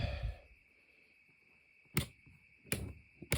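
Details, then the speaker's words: RV battery disconnect solenoid after replacement (both swapped) with batteries reconnected: three crisp clicks about a second apart over a faint hum; interior lights, patio light and steps now work; normal. "And the interior lights are now working. And if we look outside, see my patio light is working now too. So we got battery power again, which is awesome."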